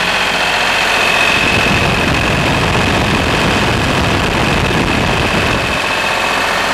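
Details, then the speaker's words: Lister HR3 diesel generator, cold start then running at 60 Hz with house load: loud, steady, even chug with no knocks or misses; smokes briefly until warm, oil pressure high when cold, 50 psi warm; runs healthy. "Now this thing smokes for a little bit when it first starts, till it gets warmed up a bit, but it's not too bad. So, all right, it's gonna get loud here."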